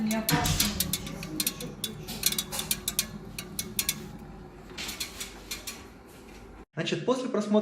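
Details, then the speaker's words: Brand-new gas water heater (geyser) crackling and ticking while running, about three sharp ticks a second over a low burner hum; normal thermal expansion of thin heat-exchanger and burner metal, harmless and expected to persist. "так вот вот эти звуки которые вы только что услышали на видео ролики это звуки абсолютно нормальные для данной новой колонки то есть новая колонку вас будет постоянно такой трещать действовать вам на нервы и этот линии нормально"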